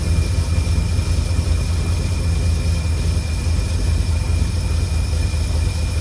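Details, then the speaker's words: 1952 Cadillac Series 62 barn find V8, revived after sitting for decades, idling after the tank was refilled with no active leaks: a steady, even low rumble with no whir or knock. The earlier noise stopped after the generator was oiled. Normal idle. "And I put oil in the alternator or generator, whatever it is. So, it's definitely that that was making the noise. Boy, it sounds beautiful."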